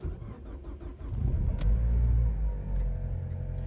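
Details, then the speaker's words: Cold start after a night outside, outside temperature 10 degrees: short crank, then the engine catches and settles into a steady raised idle of about 1600 rpm (normally about 700) with a smooth low rumble; normal cold-start fast idle. "So if you look at the RPMs, we're looking at about 1600 right here. This car normally should be running at around 700 RPMs."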